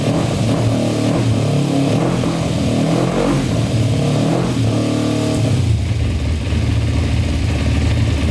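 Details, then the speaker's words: 2000 Kawasaki Ninja 250 with Yoshimura pipes, non-runner restarted on choke after oil checked full: strong even grumble rising and falling cleanly with throttle, earlier knock gone, owner thinks it was the pipes; normal running on choke. "Knocking anymore. Maybe it was just the pipes. Thing grumbles, sure. Sounds really good."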